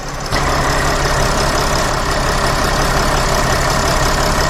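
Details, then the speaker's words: Mercedes Sprinter van, 3.0L diesel, after engine oil cooler replacement with OEM parts and new gaskets and O-rings: steady, even idle with low rumble and no knocks, misses or surges, no dash lights; repair fixed. "so as you can see there are no lights on on the dash the engine is running everything is good so this is fixed guys"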